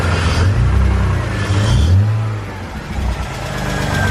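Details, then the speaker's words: BMW E46 just reassembled, first start on the ground: idling and revving with a deep uneven knock that follows revs; suspected bottom-end rod knock or spun bearing, unconfirmed. "It's like definitely the bottom end. It's probably a spun bearing or some shit, dude. Rod knock."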